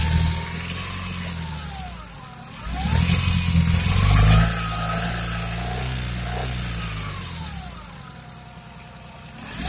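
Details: Car engine revving up and down with a rough, uneven rattle over the low rumble and shaking as the throttle opens on acceleration; the cause is unclear.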